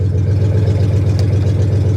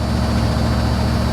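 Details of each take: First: Salvage-auction 1982 Chevy Camaro Crossfire V8: deep, loud, steady idle rumble with even beat and no misses, runs great; loud exhaust because the catalytic converters were cut off. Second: 1982 Chevy Camaro Z28 Crossfire Injection V8, just started, not cold day: steady even low rumble without knocks or misses, idling high around 1800 to 2100 rpm; otherwise healthy idle.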